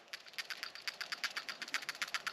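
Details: New genuine Honda PCV valve for a 2012-2014 Honda CR-V, shaken by hand: crisp, light metallic clicks about ten a second, the free rattle of a good PCV valve.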